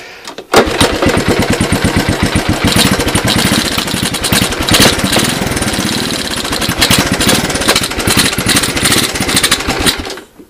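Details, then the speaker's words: Honda ATC185 single-cylinder refitted with its original OEM ignition, on jack stands: rapid, even putter holds steady for ten seconds with no knock heard; engine running well. "So not only is it running pretty good, but it's running on its original ignition, and you guys didn't hear that knock knock."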